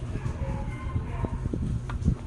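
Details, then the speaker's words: AVR voltage regulator on 220 V AC that the customer reports is noisy when switched on: steady low mains buzz with scattered sharp clicks. The relay is chattering and buzzing; the noise later stopped when the middle voltage adjuster was turned. "Sabi ng customer, maingay daw pag ipaandar, ganyan. Ayan, maingay talaga."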